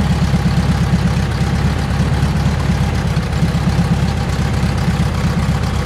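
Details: 1971 VW bus air-cooled four, sat about two years, starter replaced, now running; deep steady even idle with no ticks, knocks or stumbles, sounds healthy, more fixes still needed before road use.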